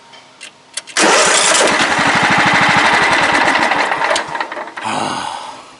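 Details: Craftsman LT 1000 riding mower: engine catches with busy clatter, runs briefly, dies, recranked; intermittent stalling after starting, owner suspects wiring, unconfirmed.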